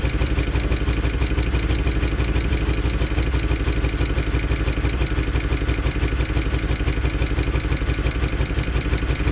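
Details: 2013 Chevy Tahoe police vehicle V8 with cylinder deactivation, freshly started on a new battery; loud lumpy idle with clatter about three times a second, bad miss; good oil pressure, owner suspects stuck lifter; engine misfire at idle.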